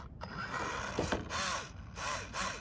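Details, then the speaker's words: Tamiya XV-02 RC car, Actium 17.5 sensored motor, TBLE-04S ESC, on pavement after power dropped; gritty clicking and rattling rising and falling with each motor sweep, a loose pinion gear slipping on the spur, later confirmed and thread-locked. "pretty sure that's a loose pinion or something so we'll go back home and check that out"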